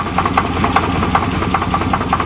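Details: 1988 Chevy truck with a bad crank: steady idle with a sharp, regular light tapping about five or six times a second over the engine; a knock, cause unconfirmed.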